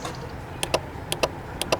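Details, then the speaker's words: Crisp, evenly spaced relay clicks from a relay tester on a 1.4 Mk6 VW Golf with no start, no crank and no comms; relay tests good. "with ignition on we've got power so that tells me that we've got the signal coming from here to actually tell that relay to work"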